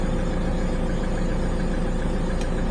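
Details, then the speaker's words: Hyundai iLoad D4CB diesel after recondition, cold start: steady even clatter at cold idle with no timing chain rattle or loose valve noise, unlike before when a cold start sounded terrible; healthy. "that sounds perfect so the timing chain wasn't rattling it wasn't sounding like it was going to you know smashing around before when I would started on a cold motor"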